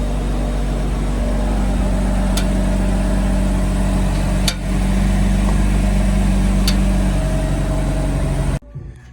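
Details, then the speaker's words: BMW M4/M3 front suspension clicking when steering: sharp single clicks every couple of seconds over a low hum, persisting after repositioning the spring away from a metal piece; top hats suspected next, cause unconfirmed. "we just tried repositioning the spring i'm hoping that it would move it away from a metal piece that it was touching still clicking"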